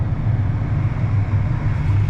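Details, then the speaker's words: 2005 Toyota Tacoma after replacing the failed blower motor: a steady low whoosh and hum of the cabin fan with no rattle or squeal. The blower motor operates normally. "oh yeah that's awesome yep you hear it working everything seems to be good"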